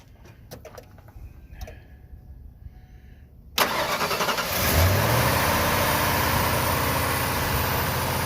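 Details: 1998 Ford Triton 5.4 two-valve V8, after replacing a bad coil that set no codes, with a vacuum line still off: short starter whir, then catches and settles into a steady, even idle with no stumble or miss; normal start and idle.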